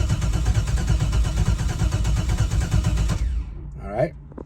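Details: Engine on a Holley Terminator X EFI system, battery dropping to about 12.3 V while cranking: even cranking for about three seconds that never catches. Crank-no-start, cause not confirmed; low battery voltage suspected.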